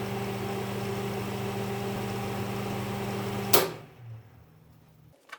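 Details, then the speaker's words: Cooling fan of a 1982 Miller Thunderbolt AC/DC welder, after cleaning and lubricating the fan shaft that had sounded rough; steady, even hum with no scraping or rattle, then switched off and coasting down quietly; fan now runs normally. "After cleaning and lubricating the fan shaft, it sounds much better."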